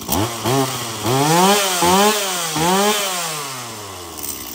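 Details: Stihl MS170 chainsaw, brought in because it wouldn't shut off by switch, tested after switch repair: two-stroke snaps up and drops back crisply, clean pickup, no bog; starts, oils, stops on switch, running normally.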